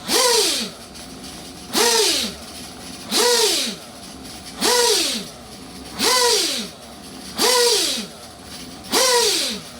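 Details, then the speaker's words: Reds Racing 721 Scuderia nitro engine, new, during break-in set rich: revs swing up and back about every 1.5 seconds, settling to soft burbling idle; normal rich break-in running. "all right she sounds good though she sound like a monster"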